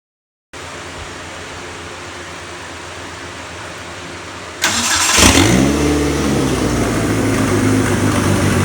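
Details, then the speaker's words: Mitsubishi Eclipse with a newly installed 4G63T engine, first run after a wiring issue, downpipe disconnected from the full exhaust: a steady idle, then clean revs with a loud, raspy open-exhaust bark, no misfire or knock. "so we got it running. As you can hear, it sounds absolutely beautiful. The downpipe's actually disconnected."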